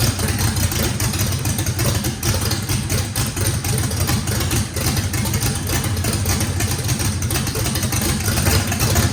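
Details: Brand-new drag-race motor with a radical camshaft, first fire-up, deep choppy loping idle, steady and even with no misfire, stumble or blow-by. Overlap and lobe separation needed lots of throttle, blade about six percent open; normal lopey idle.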